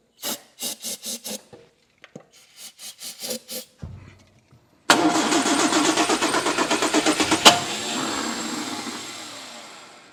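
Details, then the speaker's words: Restored 1960 Triumph TR3 that cranks but won't start after sitting: cranking, catches briefly on starting fluid then dies, out of gear, key on. "All right, that confirms what he told me."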